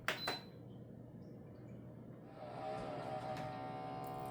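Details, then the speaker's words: Air Innovations ultrasonic cold-water humidifier, second repair of the same fault after a poor lube choice: clicks, then the fan whirs up into a loud, buzzy hum with a steady whine, too loud from a binding fan shaft. "so you hear that it's not supposed to be that loud what we have is an issue with the fan which I've already dealt with once before on this"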